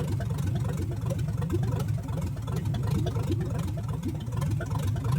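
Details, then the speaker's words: 1970 Chevrolet Chevelle V8, first start after rebuild of a field-found engine, choke off, timing adjusted by hand without a light: rough loping idle, one cylinder not pulling its weight; misfire at idle, cause unknown. "It sounds okay. Still got a miss, it sounds like. Still sound like we're down one cylinder, but I'm going to call this a win."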